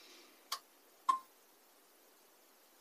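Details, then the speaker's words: Power station on a simulated solar input mimicking sunset, input around 0.3 A (about 1 W): sharp relay clicks roughly every half second in a quiet room as the charger relay cycles on and off at insufficient solar current. "at about 0.3 amps again we have the same situation as before where the system doesn't know what to do"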